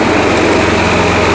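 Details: Old Craftsman walk-behind trimmer with Briggs & Stratton Quantum engine, after carburetor cleaning and drive cable replacement, drive lever engaged: fast, even firing at steady pitch with no misses or surging; normal running.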